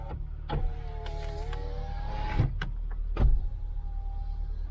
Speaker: electric windows just check they all work